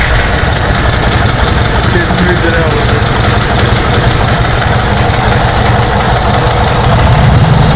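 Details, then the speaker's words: A 1931 Harley-Davidson motorcycle started after a priming process with the mixture enriched. It settles into a low, loping thump at a steady idle pace without stumbling. Normal idle. "of course Bill's main interest is old Harley's so we got to see more of that 31 and this time bill started it up which was a process and it sounded really cool"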